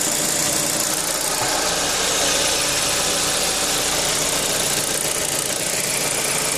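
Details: Engine runs with a harsh, hissy rattle riding over a rough, uneven beat, about three to four pulses a second; abnormal engine noise, cause unclear.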